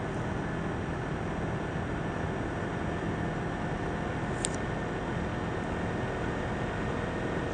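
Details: Asus laptop CPU cooling fan: steady loud rushing hiss with faint constant tones, no speed change; fan running noisily.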